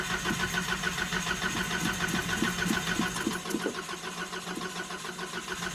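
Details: Nissan 720 cold start: rapid, even starter churning for several seconds before the engine catches and settles; long cranking and hard starting, owner thinks it needs a new fuel pump.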